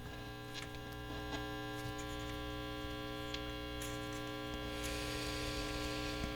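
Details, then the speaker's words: 1960s General Electric dual-speaker long-range radio receiver, barn find, at full volume: only steady low mains hum with buzzy overtones and faint crackle, pitch changing with tone control, no reception; open transformer winding. "so there we go we have hum that's full volume that's definitely working and absolutely nothing tone control now the tone control changes the pitch of the hum so the tone control is working"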